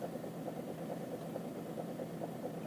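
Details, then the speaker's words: Citroen C5 2.0 HDi diesel idling: light tapping knock, about four or five a second, that comes and goes, vanishes with slight throttle and returns on release; owner suspects clogged injectors. "есть ток ток ток ток ток то нету часто катит потом пропадает бог пропал опять начал чуть-чуть на газ нажимаешь о пропала отпускаешь опять появляется потом бывает плавает то стучит то не стучит так периодически наверное форсунки забитые"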